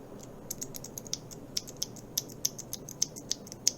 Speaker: You hear that clack, clack, clack sound that's made by bottoming out.